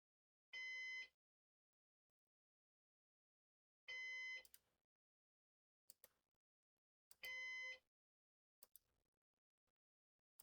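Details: Used Synology DS418 NAS during first setup with four drives: clear high beep bursts about every three and a half seconds in a quiet room, heartbeat-like.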